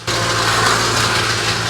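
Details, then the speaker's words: Porsche 986 Boxster with V8 engine swap, warming up at about 76–90°C, thermostat not yet opening: harsh, steady rattle at idle that goes away when revved slightly; source unconfirmed. "ce bruit est vraiment ennuyeux mais j'ai dit que lorsque je l'accélère un peu, il s'en va"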